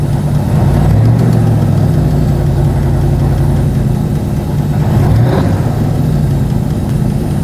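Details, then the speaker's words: Old-school V8 that has broken its camshaft twice, on its fourth startup: a lumpy idle with a light quick tick on the same side, steady with engine speed. Owner doubts a spinning lifter and suspects a bad or heavier valve spring; valve train tick. "I doubt very much that the lifter is spinning. It could be a bad spring. The whole motor sounds awesome."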